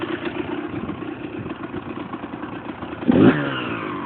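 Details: Husqvarna SM 125 two-stroke at idle: rapid, regular metallic clatter about eight per second, smearing into a rattle on revving; loose crankshaft nut.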